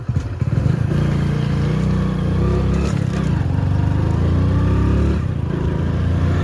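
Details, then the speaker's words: Hero Passion Pro motorcycle being ridden after a full engine rebuild: steady low engine drone with even pulses, no knocks or rattles; runs very smooth, much smoother than before the work. "చాలా అంటే చాలా smooth గా వెళ్ళిపోతుంది అన్నమాట బండి మీరు నడిపితే మీకు అర్థమైపోతుంది కదా"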